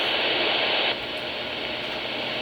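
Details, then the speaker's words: Radio on the high channels after unplugging the high-speed internet modem's power supply: the hiss drops clearly about a second in and settles to a low, steady background, the receiver's usual quiet noise floor. "That's how quiet it usually is up here. Now let's go back down to the regular channel."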